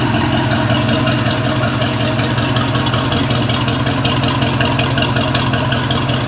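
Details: 350 Mag MPI engine's first start after a rebuild, idle only; steady, even idle with a smooth low rumble and no knocks, misses or rattles; the engine sounds healthy.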